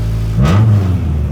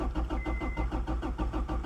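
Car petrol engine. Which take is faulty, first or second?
second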